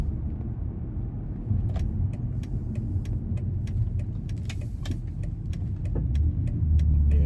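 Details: BMW E46 325Ci after new rear springs and shocks and a new front anti-roll bar; over road rumble, sharp clunks from the rear when cornering; a snapped bump-stop dust shield was later found, cause otherwise unconfirmed.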